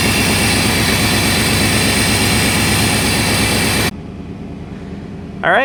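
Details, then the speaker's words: 1990 Chevy Silverado C1500 OBD1, ice cold after sitting overnight at about thirty degrees, after replacing coolant temperature sensor: starts right up and holds a steady, even idle without throttle, no stumbling or hunting; hard start and rough running fixed. "guys it started right up I haven't touched the gas and it's running great so that was it"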